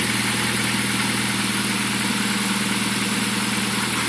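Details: 1.4 K-Series 16v engine in restored Clubman Estate, first run after build, cooling hoses not yet fitted: smooth even idle with steady crisp clean beat, no misses or knocks; normal idle.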